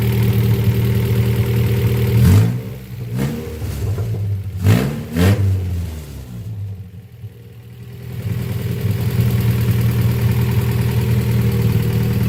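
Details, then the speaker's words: Honda Prelude, first start after sitting, harness thrown on as-is, exhaust unfinished: a few sharp throttle blips, then a loud, steady, even idle holding its speed, holding steady at 40 psi; engine healthy, normal idle. "so she's running."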